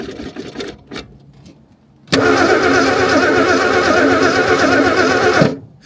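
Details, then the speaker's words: 1964 Ford Ranchero stored in dirt since 1986: steady starter churn about four beats a second for three seconds, never catching; no spark from badly corroded ignition points, later filed clean. "Cuz Okay, these might have been the most corroded points I've ever seen. But we cleaned them up and I think I think there's spark there."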